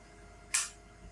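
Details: Cisco IP desk phone on a straight-through cable to the switch, powered over Ethernet: one sharp crisp click in quiet, then a softer sound near the end; normal power-up click.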